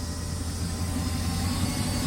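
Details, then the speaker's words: Recovered sunk Malibu Wakesetter boat engine: fast, uneven rumbly idle, runs rough and idles too high; 54 psi oil pressure, alternator charging; owners suspect intake gasket leak and probably bad computer. "It's like idle's really high. It don't run good at all."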